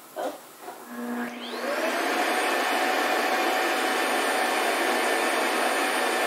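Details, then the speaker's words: Shark Wandvac Self Empty WS642AE, new: dock motor spins up over a second into a steady high-pitched whoosh that holds even; normal self-empty cycle. "I think that was the self-empty bin part."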